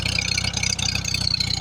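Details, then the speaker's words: 1948 or early 1949 Farmall H tractor started after sitting a long time, running on partial choke: idle pulses unevenly, beat rising and dipping; rough running, owner hopes more fuel through it improves it; good oil pressure. "I got to run it with the choke on a little bit but maybe if I get enough gas run through it it'll start acting better"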